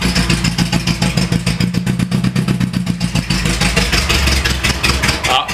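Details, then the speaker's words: Renault Trafic van engine just revived after 23 years unused, crude homemade exhaust fitted: loud raw exhaust, uneven lumpy idle over deep rumble, spitting black smoke, exhaust manifold steaming off moisture; engine runs. "Oh, ça crache noir là. Ouais, il fait quand même pas mal de bruit hein."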